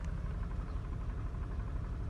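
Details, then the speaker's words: Mercedes W124 after new coils, NGK boots and wires, in gear: deep, uneven, lumpy idle with shaking, slight hesitation on throttle then smoothing out; rough idle from a faulty engine wiring harness. "You can hear the shaking. Neutral. Drive. So when you give it gas, it hesitates just a little, but then it smooths out."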